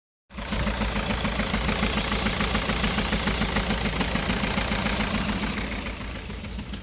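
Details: VW Sharan with fault code P0303, cylinder 3 misfire: the idle carries a steady but slightly lumpy pulse around three a second with a hollow miss as the engine drops a cylinder.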